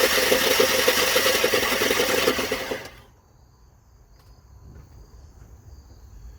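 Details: Dodge Ram 1500 Hemi V8 suspected of fuel pump failure; fast, even starter whir about three and a half beats a second, no compression pulses or firing; crankshaft appears not to turn, owner suspects something broken.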